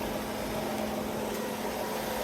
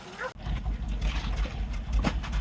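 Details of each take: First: 1994 Ford Escort after oil change: steady, even idle hum with no knocking or ticking; brief clatter as oil filled the new filter, then smooth once oil pressure came up. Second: 1994 Ford Escort, while checking fuel pressure regulator and vacuum leaks at idle: low idle thumps come unevenly and stumble; rough idle misfire.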